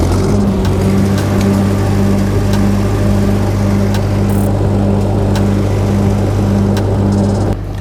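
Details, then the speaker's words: Older SA200 welding machine cold start in freezing weather, after heating overnight with an oil pan and motor warmer. It cranks on the first try and settles into a steady, even thumping idle with a low drone and no knocks; normal. "okay so it cranks so we good i'm happy"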